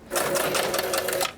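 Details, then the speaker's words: Long-dead vintage pinball machine first powered up during restoration: short burst of quick, even mechanical chatter over a steady hum; motor and relays working. "Right, power and a plug. Oh, that's good. Motor works."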